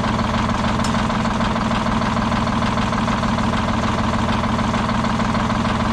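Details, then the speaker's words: Detroit Diesel 6-71 on its last run before removal: steady low idle with an uneven beat, about three pulses a second, skipping and shaking, raw fuel dumped from the dead cylinder, seems to worsen over time; misfire. "you can hear the skip in it how bad this thing shakes it's a shame but all that raw fuel getting dumped out of the exhaust from that cylinder that's not firing"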